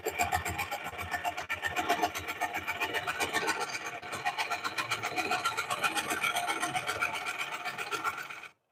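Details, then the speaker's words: Lathe turning a cracked cork oak bowl. A rasping cut carries crisp regular ticks, about four a second, one per revolution, as the tool catches on rough pith. "You do that tick, tick, tick, tick, tick, tick, tick. It's coming around."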